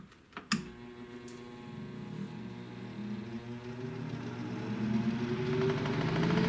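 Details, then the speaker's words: 1923 16" GE AOU loop-handle fan after restoration and rewiring, run in a little, on high speed: a click as it starts, then a hum climbing steadily in pitch as it spins up, only a faint wobble; little vibration, runs fine. "Little vibration. It's not too bad though."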